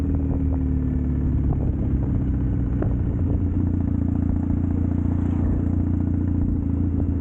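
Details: Triumph Bonneville T100 with drag pipes after air baffle removal and stage 4 ECU tune, on test ride: deep steady grumble with no pops or backfires on or off throttle; backfiring fixed, healthy.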